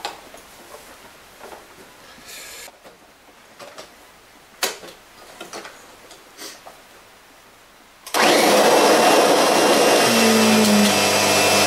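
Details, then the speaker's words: Kirby Sentria II vacuum, 700-watt motor, during salt pickup comparison against the G4: after quiet handling it starts with a loud harsh roar and a faint high whine over the motor. "Obviously that sounds a lot better because this is practically a new machine compared to the G4 that needs the bearings changing."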